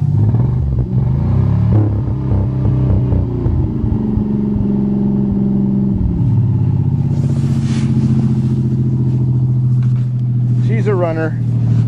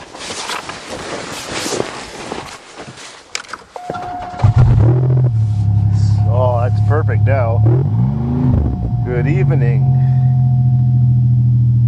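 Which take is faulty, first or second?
first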